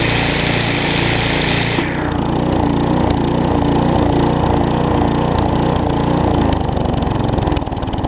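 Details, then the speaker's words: Newer Tecumseh vertical-shaft engine on a 20-inch wheeled weed trimmer after aftermarket carburetor replacement: rough busy note settles into steady even chatter once the trimmer head is engaged; normal running under load. "like i said what counts is when i engage the weed trimmer portion it smooths out"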